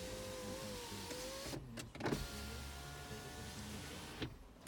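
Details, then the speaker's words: 2008 BMW 328i, 3.0L, automatic, rear-wheel drive, 154,521 miles, in for no-start and underbody damage, window lowered: even motor whine with a slight pitch rise as the glass travels, stopping cleanly without grinding or straining; window works normally. "so we'll go ahead we'll put the window down come on up you get I'm just gonna leave this thing down"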